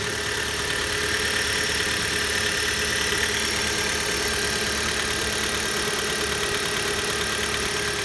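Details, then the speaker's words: Hyundai G4FC 1.6 petrol engine, cold, just started. At idle, faint irregular light tapping rides over the injector ticking: a light engine knock of unclear cause. "Двигатель холодный. Есть какие-то непонятные стуки. Легкие. Перебивающий цокот форсунок."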